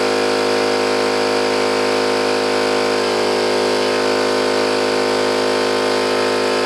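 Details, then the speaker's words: New oil-lubricated Campbell-Hausfeld air compressor, replacing an old Brute with a leaking unloader valve, under load filling its tank: steady, even pumping drone with a smooth quick beat and no metallic clatter; healthy, normal running. "one thing I noticed is that this thing is not making any horrible metallic sound like the old washing maggiore did I mean bad metallics down you know just it just run it doesn't make clattering and blinking and really bad sounds like the other one"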